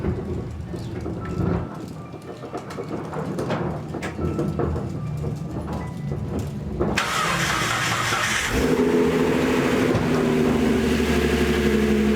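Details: 2014 Ford Mustang 3.7 with replacement engine after the original seized, first start on first try: starter cranks briefly, engine catches at about seven seconds and settles into a steady, even idle; healthy start.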